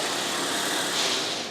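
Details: Jazzy 600 mid-wheel-drive six-wheel power chair, older model used only a month or two: steady high-pitched drive-motor whine with a hissy edge, no knocking or grinding. Loud drive motors are normal for this chair.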